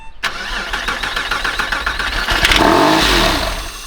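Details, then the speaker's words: Crash-damaged 1999 Porsche 911 (996), not started in about 12 years, no coolant, no fuel pump, on starting fluid: steady cranking at about 3.5 beats per second, then catches and runs rough and uneven briefly. "well we got a crank let's go ahead and try that one more time all right obviously runs terribly but it runs"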